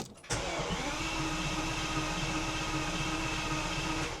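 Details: Bentley Continental GT unused since 2017 and left in a field three years, after fresh fuel was added: steady churning rush for about four seconds with no firing or catch, cranks but won't start.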